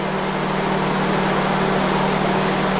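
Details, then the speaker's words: 2003 Subaru Outback being diagnosed for code P0483: both cooling fans kick on at idle, a steady even whoosh with a faint hum and no ticking or scraping. The fans run normally and coolant temperature falls rapidly. "yep I just went look both fans are are running so we should see this temperature start quickly uh should start dropping here pretty quickly"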